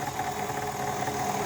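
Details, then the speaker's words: Brand-new, never-used KitchenAid Artisan 5KSM175 stand mixer running at first switch-on; steady mid-pitched motor drone with a rough scratchy edge, internals sounding like they rub, cause unconfirmed. "Ouh là là, le bruit, il est pas bon. On sent que ça frotte ou je sais pas quoi."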